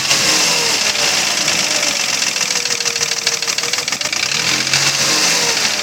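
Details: Mercedes ML320 V6 (M112 3.2) at about 300,000 km running: dull, uneven knock about three per second, unchanged by replaced bearings, chain, tensioner, camshafts and lifters; pistons rocking in scored cylinder bores.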